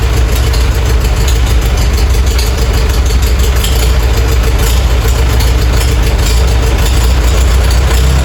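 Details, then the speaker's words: Farmall A tractor revived after 10+ years idle (new radiator, fan, belts, hoses); loud, steady low thrum with even firing, no knocks or misses; normal idle. "cranked it right back up, but first pull of the crank, it just busted right off and it's sitting here idling."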